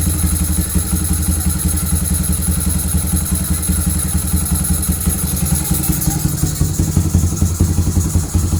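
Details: Honda CB fuel-injected single running steadily after replacing the failed injector with a racing injector and ECU remap; even beat, slight lift in pace toward the end, no misses or rattles; normal running.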